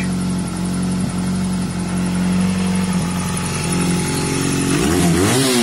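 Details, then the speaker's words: Classic 50cc Piaggio Vespa moped, crisp even two-stroke buzz that climbs cleanly as the throttle opens, no problems; normal running before a possible emissions test, where a rich mixture is advised. "now you can hear that engine guys no problems at all none at all uh beautiful bike"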